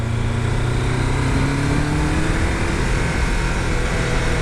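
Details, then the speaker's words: 1990s Triumph Daytona T300, warming up after riding: uneven, lumpy running with a stumbling beat, not firing on all cylinders. Rider switched the fuel tap to prime. Owner suspects the fuel tap, crank position sensor or carbs; engine misfire, cause unconfirmed. "oh it's going it's going yeah it's going bad if you can hear it now i'm just gonna go to prime just in case it's something to do with fuel i'm not firing on four cylinders"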